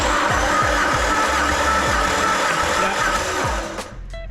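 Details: Nissan C33 Laurel RB25 during a compression test, with coils and spark plugs out and injectors unplugged: the starter cranks the engine evenly at about four beats a second. Cylinder one reads about 145–155, with the next reading nearly identical.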